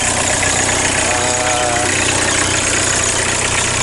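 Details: 1979 VW Rabbit diesel with grease car conversion, swapped to a 1.6 engine, started after sitting one to two months: steady, even diesel clatter at settled idle with no misses or stumbles; running normally.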